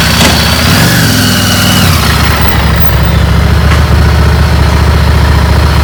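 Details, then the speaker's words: Second-hand bike after spark plug removed and refitted to fix starting then stalling and power loss. Catches cleanly and settles into steady, even idle with no misses or stumbles; healthy, power restored. "ಇದನ್ನು spark plug ತೆಗೆದು ರಿಫಿಟ್ ಮಾಡಿದೆ ಈಗ correct sound ಬರ್ತಿದೆ"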